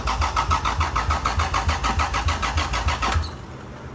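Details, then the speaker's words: IS300 with a newly installed engine, cranking on the key: the starter turns steadily at about three and a half beats a second but it never fires; EWS V2 immobilizer suspected, fuel supply also being checked. "turning over by the key, which is 6, so now we just got to figure out why the hell it's not firing yet."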